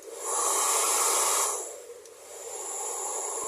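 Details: Taiff Ion hair dryer, previously noisy and weak, after repair (wire rerouted, shim refitted under the motor): smooth, even airflow hiss with no rattle, dipping and recovering as the heat and cool settings change; noise gone, heating normally.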